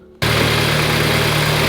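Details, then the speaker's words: VW Golf GTI idling after refitting a coolant pipe: an even, steady hum with no hiss. The earlier whistling noise is gone; normal idle. "Right, let's let it get up to temperature, let the coolant go around the whole system, and if there's no leaks, happy days, because that whistling noise has gone."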